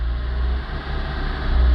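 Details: Kia Pride, 2000, 6400 mil, warm engine: low drone sags briefly while slowly revving near 2000 rpm, then recovers; intermittent, not when cold or fully hot, also erratic idle; cause unknown after over a year of part changes.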